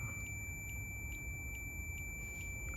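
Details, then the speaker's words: 1972 Suzuki RV90 (Rover VanVan 90) ignition contact points tested with multimeter continuity mode: steady beep continues after the points are opened instead of stopping, so the old points still conduct; new points to be tried. "And you hear that the sound is still going on. It should turn off. Should turn on and off."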